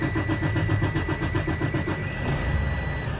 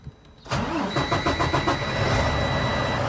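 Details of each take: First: Freightliner Cascadia DD15 diesel restarted right after a fuel filter change: starter grinds slowly and unevenly, about four turns a second, and the engine struggles to catch because air entered the fuel system. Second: Freightliner Cascadia DD15 diesel after oil service and fuel filter change with fuel system primed, in neutral: starter churns a few beats, catches cleanly, settles into steady idle; oil pressure should rise.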